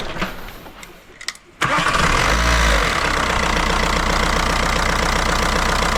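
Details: VW Jetta TDI diesel catches after a short crank and settles to a clattery idle that lopes unevenly at first; air bubbles in the fuel lines, too much air getting into the fuel supply.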